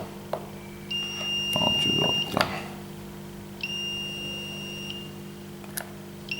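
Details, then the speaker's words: Smart RCBO/MCCB circuit breaker with the ground connected directly, showing an error: long high-pitched beeps about a second each, repeating every few seconds over room hum, signalling a ground fault. "I've directly connected the ground here. I turned on the device. It's showing an error again."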